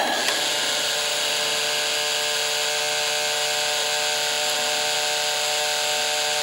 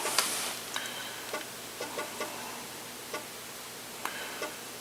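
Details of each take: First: Apple IIgs 3.5" disk drive, eject button pressed: small motor just spins at a steady high pitch with no eject clunk; pointing to a stripped gear on the eject motor. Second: Apple IIgs disk drive booting: light, crisp ticks in uneven little clusters as the head steps across the disk; normal seeking, reads the disk fine; only ejection suspected faulty.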